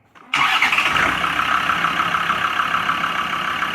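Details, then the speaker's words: Land Rover Discovery 2 TD5 diesel, manual gearbox, suspected of a failed bottom end, starter needing a hammer tap: short crank, then catches straight away and settles into a steady, even clatter; starts cleanly and sounds smooth. "Listen to that. All that power. Sounds beautiful, actually. Smooth as you like."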